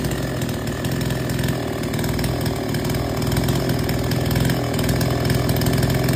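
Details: Chainsaw that would not take load, after H/L screws set fully in, then the H screw out three turns. It holds a strong, steady buzz while biting into wood, with no bogging or stalling: normal cutting under load.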